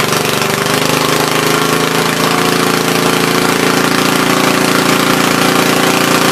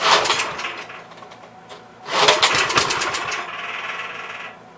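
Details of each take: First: Troy-Bilt tiller after replacing bad spark plug: holds a steady, fast, even chatter without stumbling or dying, running properly. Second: Troy-Bilt tiller, parked, fuel line replaced, carburetor leaking: two short sputtering bursts that fade and die, won't keep running; had spark, bad spark plug suspected.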